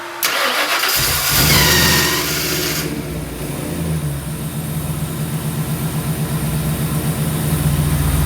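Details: Engine before maiden drive; quick crank, clean catch, settled even idle with no misses or knocks; motor sounds good, transmission shifted well, normal start and idle.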